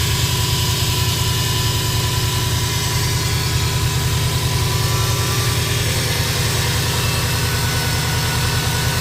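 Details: 2005 Subaru Impreza WRX: thin constant whine over idle rumble, recently started, with turbo whistle while driving; cause unknown.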